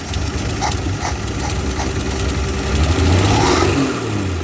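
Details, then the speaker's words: 1962 Dodge Lancer six after carburetor overhaul and points, ignition timing backed off after struggling starts on a low battery: fires promptly and settles to a steady, even idle; accelerator pump still not working. Normal start and idle. "I backed off the timing a bit and now it starts like that"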